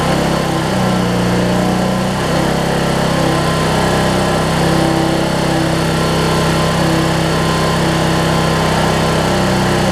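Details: Weed Eater riding mower with a 16.5 hp Briggs single-cylinder engine, on gas after the fuel bowl was refitted and the switch was confirmed working. Steady, even drone at constant pitch with no misses, pops or backfire; running cleanly with the deck belt off.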